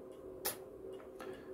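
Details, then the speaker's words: MW POWER MW-SC6B charger in 24V recondition mode, not intended for a 12V battery; a few sharp irregular ticks from pulse charging in a quiet room; desulfation claim doubted, unclear if charging properly. "bo też można powiedzieć że że to jest odsiarczanie"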